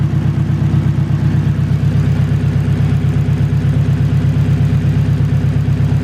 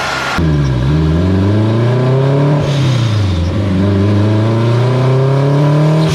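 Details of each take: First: Turbo Acura RSX after a blown turbo, fuel pressure set to about 55 with both pumps on: a deep, even idle with a steady low pulse about three a second, no misses or knocks. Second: Acura RSX turbo car on a dyno with a boost problem, boost being raised while tuning, mixture around 11.0 AFR; engine climbs hard under load then pitch sags and recovers unevenly as boost drops; turbocharger blew mid-pull.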